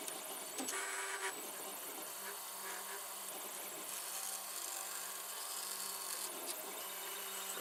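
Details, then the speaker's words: 3D printer mid-print: steady low hum with an overtone that comes and goes as the head moves, over fan hiss. Abnormal drone, suspected from the linear bearings, unconfirmed. "that noise I think it is a linear bearings which have been small for bands"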